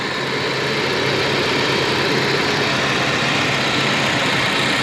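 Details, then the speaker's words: 1987 Volvo 740 Turbo automatic with 37k miles, idling after its air flow meter was replaced with a new Bosch unit: smooth, constant idle with a steady hiss and no hunting or surging; running well. "the afm was replaced with a new good boss unit and now it's it's running quite well"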